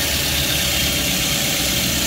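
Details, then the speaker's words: Daihatsu Luxio/Gran Max, after repair of an overheating fault caused by air in the cooling system, idling: steady idle at normal RPM under loud fan and air hiss, with no misses or surging. The temperature is not rising and the engine is normal. "Saat mesin dalam keadaan idle seperti ini, suhu tetap tidak naik dan mesin juga normal,"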